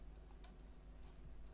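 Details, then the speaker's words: CD-ROM drive in a 1994 486 PC being restored, lens just cleaned: faint irregular ticks of the laser pickup seeking over low room hum, no spin-up whir, disc not spinning; owner suspects a failed driver chip under a small heatsink. "I can hear the laser moving about but there's no spin on the disc"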